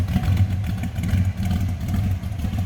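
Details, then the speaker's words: 1980 Oldsmobile Cutlass V8 with a mild aftermarket cam, idling: a deep, loping idle with an uneven cam chop but a steady beat and no knocks or ticks; healthy cammed idle. "Oh, we got a little cam in that V8. Nice sounding."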